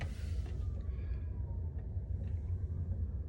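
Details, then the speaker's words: Happybuy 5 kW diesel heater in a trailer, running for hours with its fan turned down to two notches: a soft, steady rush of air with no rattle or surging. It still gives fair, hot airflow and the cabin rose from 17 to 19 degrees. "to two notches and it's kicking out a fair amount of airflow and it's definitely nice and hot"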